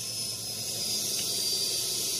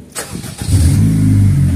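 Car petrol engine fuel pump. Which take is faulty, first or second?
first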